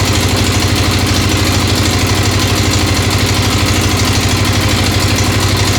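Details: Freshly built 1996 XR600R, first start on full choke, steady thump of about three beats a second with a light tick riding along. The owner suspects the right front valve needs adjustment, unconfirmed.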